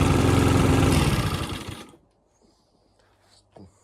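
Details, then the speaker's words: Mountfield RV40 150cc 45cm mower: quick even firing for a couple of seconds, starts fine, no hunting or surging, so carb left untouched; normal running. "considering it's starting fine, it runs, no hunting or surging, I'm not even going to mess about with the carb."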